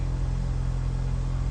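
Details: 2015 Dodge Journey 2.4L after fixing a no-crank no-start, traced to loose connectors, BCM replaced: short stretch of steady, even low rumble with no misses or knocks; engine idles smoothly.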